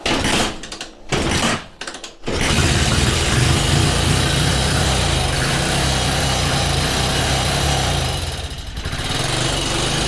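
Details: Carbureted 125cc Chinese budget commuter motorcycle, kickstarted on choke after spark restored and sitting about a week: a few kicks with kickback, then a rough single-cylinder putter catches and holds, dipping near the end; normal running.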